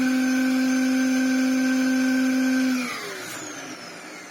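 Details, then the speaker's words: Dyson DC07 Clic vacuum after restoration with replacement parts: steady high motor hum with a hollow airy shark-like edge, then winds down; unusual air noise, owner suspects an air leak past a seal. "that noise well I say oh it's almost like it's got a leing somewhere when you hit it sounds like a shark"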